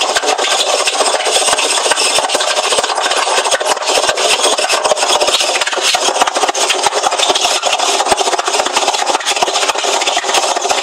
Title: Hoover washing machine making loud noise